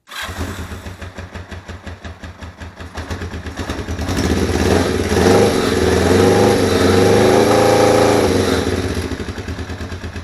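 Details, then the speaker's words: Bobber-project motorcycle at 36,000 miles, cold start: uneven twin chuffs hunting as revs rise and sag, barely idling and about to die; rough idle, owner also notes an apparent lifter/valve tick. "doesn't idle the best and it's probably gonna die here in a second yep so we'll just turn it off at that point"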